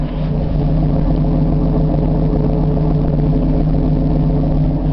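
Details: 1979 Camaro V8, cold start at night in snow, car covered: deep, steady, even exhaust rumble with a smooth low burble and no knocks or misses; the engine sounds healthy.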